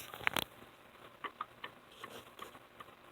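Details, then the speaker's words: Fuel meter casting from a 1961 Corvette fuel-injection unit, before lapping, rocked under heavy pressure on a flat bar and clacking; the high-pressure pump mating surface is distorted and was leaking. "I'm putting real heavy pressure on it, and you can hear it. It's not flat."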